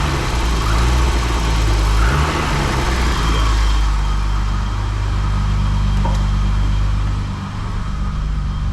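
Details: BMW E28 535is M30 engine with a stutter and misfire at low rpm; fuel pressure checked at about 40 psi, ruling out fuel: idle rumble wavers with an uneven, loping beat, later fixed by replacing a burnt ignition wiring loom: ignition misfire.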